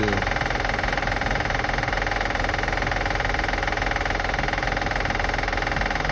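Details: 2005 Acura TL after starting and running: even steady clicking just under three per second over a smooth idle; engine clicking noise being assessed, source unclear.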